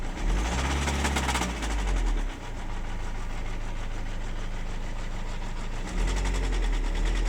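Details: Renault Laguna 2 1.9 dCi F9Q diesel at idle: deep low idle with a repetitive, fairly even internal knock at roughly three per second; cause unknown.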